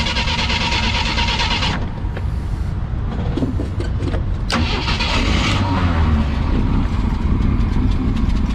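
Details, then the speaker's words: 1976 AMC Gremlin, last on the road 32 years ago, first start after revival with a replacement radiator fitted to cycle coolant: engine catches after cranking and settles into a steady low rumble with no knocks or misses, running fine. "it's running perfect it's like we know what we're doing"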